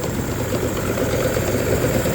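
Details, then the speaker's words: Rough-running 3-cylinder Yamaha 30hp two-stroke outboard, plug-lead drop test: lumpy ragged idle; cylinder two sparks but revs don't change with its lead pulled, pointing to a dirty number-two carburettor, though a bad plug is possible. "this one is sparking it's not revving back up it's not dropping [Music] down dropping down picks back up so that tells me we got issue number two kby three separate carbies"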